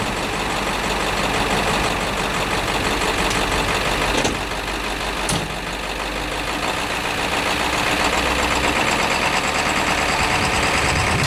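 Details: International truck with DT466 diesel, bump-started by towing in about third gear: big diesel at steady even idle with firm low clatter, no misses or odd knocks; excellent running engine.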